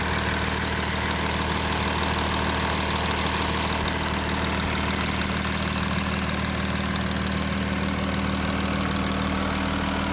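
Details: Audi A6 4G idling after passenger-side exhaust camshaft replacement: steady idle with even fine valvetrain patter, no sharp clicking; former knocking is gone, engine running normally.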